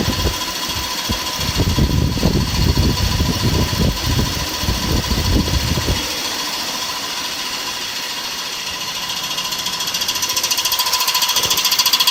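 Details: BMW E46 engine running: fast, uneven tapping of about three to four per second over a heavy low rumble; check engine light stays on, and the owner traced an air leak under a gasket.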